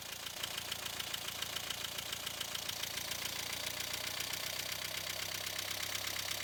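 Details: 1.5 dCi diesel: idle clatter with a wavering rhythm of about two pulses a second, unsteady idle; fuel pressure regulator suspected.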